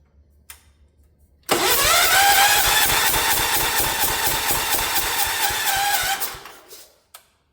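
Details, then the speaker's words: Ford LGT 145 lawn tractor left in a parts yard, cranking for about five seconds with a hissy puff each turn after a few firing attempts. A bad head gasket leak is suspected, not confirmed. "That sounds like a quite a bad leak on the head gasket to me."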